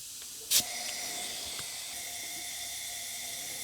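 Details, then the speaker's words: Leak-down test on a rusty, long-neglected ride-on tractor mower engine, cylinder at top dead centre with valves shut; brief air burst then steady hiss leaking past the intake valve, moderate cylinder leakage, blown head gasket looks less likely. "as you can hear we do have some leakage from the intake valve yep definitely leaking through the intake valve the valves are shut"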